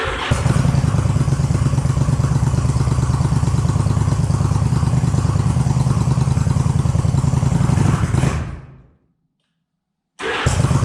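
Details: 2001 Yamaha V-Star 1100 after starter sprag clutch replacement and camshaft gear timing correction, fresh oil, cranked without choke: even cranking catches into a steady, lumpy V-twin idle with no starter-clutch grinding or slipping.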